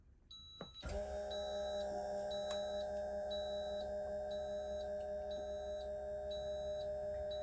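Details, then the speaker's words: 2024 Newmar Bay Star 3014 motorhome auto-leveling with the parking brake engaged: a steady electric hydraulic pump motor hum sending fluid to lower the jacks, with a faint repeating warning beep while the jacks descend. Normal leveling pump operation. "you can hear the pump motor and the pump motor is sending uh fluid to all the Jacks and Jacks are going down and that will level the coach"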